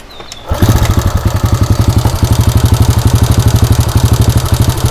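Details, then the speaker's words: EX5 four-stroke single being restored, started with standard exhaust fitted: sharp, steady ticking about four per second over the idle right after start-up; tappet noise from excessive valve clearance, to be fixed by readjusting the tappets. "tu bunyi tepet kalau macam itu, kalau korang dengar tu. Jadinya aku akan adjust balik tepet dia."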